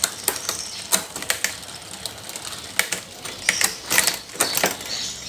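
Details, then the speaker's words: Bicycle rear derailleur during adjustment while shifting through the gears: irregular sharp clicks and ticks with extra chatter, showing it still shifts noisily and with a delay before further tuning. "Di sini masih ada suara bising , teman-teman. Saat ini, masih ada penundaan."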